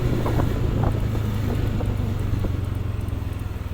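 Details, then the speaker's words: New Honda Stylo scooter, under 300 km, road test after fixing a metallic rattle at the rear: engine note falls smoothly off throttle with wind noise, no rattle on acceleration or deceleration; normal. "baik sekarang kita coba tes Jalan Apakah masih ada suaranya Suara yang ditarikkan sudah tidak ada"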